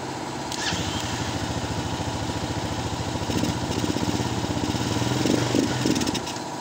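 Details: Honda XR200 single-cylinder, recently overhauled, running after fuse replaced: steady even thumping idle; charging below 13–14 V afterward, regulator suspected faulty.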